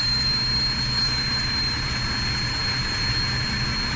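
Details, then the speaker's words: 2004 Chevrolet Trailblazer 4.2 six-cylinder at idle: uneven stumbling beat under a thin high whine, a rough misfire with no misfire codes stored; two connectors and possibly a coil already replaced, cylinder and cause still undetermined. "Muy fallón, la verdad. Ya se le cambiaron aparentemente dos conectores."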